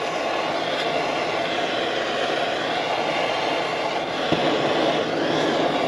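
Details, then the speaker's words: Coleman-type military 252A pressure lantern, pumped up to full pressure and briefly preheated, burning with a steady, even hissing roar, no sputter or surging; healthy full-pressure burner operation. "She's up and running, nice and strong. You can even put more pressure in it, but that's full pressure."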